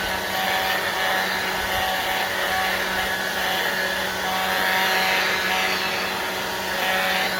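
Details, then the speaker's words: Black+Decker 20V cordless blower on a used battery: steady rushing fan roar with thin constant whistling squeal, probably dry bearing; squeal persists despite WD-40 spray. "Now it's squealed. I've sprayed WD-40 in it, and it just keeps going."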